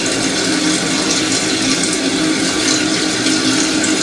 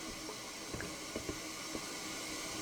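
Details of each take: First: Toilet cistern after its fill valve was replaced because it hissed and ran nonstop. A smooth, steady rush of water refilling the tank, then it stops, with no whistle or hum. Normal tank refill. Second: Toilet before repair, water running non-stop; constant soft hiss of water trickling into the tank; fill valve not closing and leaking.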